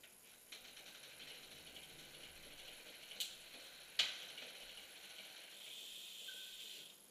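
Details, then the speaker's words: Bicycle rear derailleur (trike) with the high limit screw set too far in: faint chain rattle with two sharp clicks about a second apart as it rocks between 8th and 9th; fix is backing the H screw off gradually. "what you're going to want to do is do the same thing you did with the same thing you did with the the bigger gear um on the high end the high being the high gear which is again is the smallest gear you're going to want to back that off a little bit at a time until you get it to drop into ninth"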